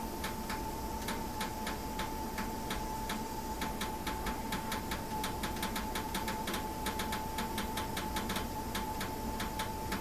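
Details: New system, something isn't right: sharp, fast, slightly uneven ticking, a few per second, over a steady faint high tone and hiss; abnormal.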